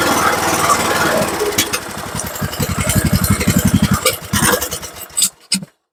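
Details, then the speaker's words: Free Troy-Bilt Pony riding mower, single-cylinder, on old carburetor before replacement: uneven thumping at a few beats a second, stumbling and fading before cutting out; owner suspects something wonky in the carb high-speed circuit; uneven running. "well how about that Jeron shidel might be something wonky in the high in the highp speed circuit on the carb itself but heck it ain't leaking and runs so mission accomplished"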